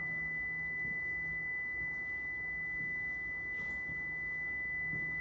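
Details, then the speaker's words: Prevost bus (Marathon conversion) brake warning buzzer: steady high-pitched tone as brake pedal is stepped and held during air pressure test; cause unconfirmed. "step and hold the brake pedal down [Music] and that's your alarm thing going off"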